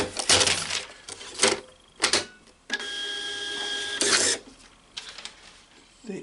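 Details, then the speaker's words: Epson TM-L90 label printer just repaired after its paper lid cover jammed shut, reassembled with power and paper in: short, even motor whir as the paper feeds, with no grinding or skipping among the handling clatter. Healthy feed. "That sounded pretty good, but let's do a couple of tests."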